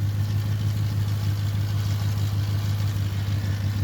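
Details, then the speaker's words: 1976 Ford crew cab Dentside pickup, high 120s thousand miles, started on jumper pack, exhaust broken in half underneath: loud, even idle with steady low rumble, no knocks or misses, good oil pressure; engine healthy, exhaust raw. "it's idling down it's got uh good oil pressure up there it's got fuel that's nice I awesome hell yes it actually sounds good"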